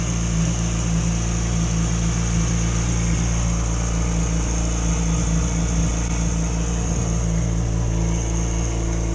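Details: 2006+ Yamaha R6 that used to die at idle when below about 160–170°F, warming up: smooth, even low burble holding a constant idle for nine seconds, no hunting or misses; healthy.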